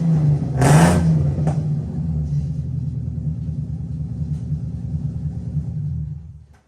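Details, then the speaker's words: 1990-96 Nissan 300ZX (Z32) before repair, smelling very rich; after a quick blip the idle lopes unevenly with stumbling low pulses. Owner first suspected a coil or injector; misfire traced to loose, brittle ignition coil connectors. "from the little clip before this that is running like dookie so we're gonna have to figure out what the heck is wrong why it's running the way it's running smells Super Rich so maybe coil's not working"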